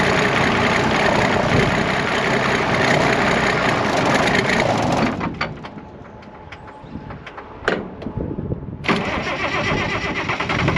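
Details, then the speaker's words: IH 915 combine, unmoved for about a dozen years: fires and runs rough about five seconds, dies, then catches again as if fuel-starved; the mechanical fuel pump has failed, an inline electric pump is needed. "so we know it runsa does r I just need a little inline electric fuel pump in place of what's down there and uh it will run"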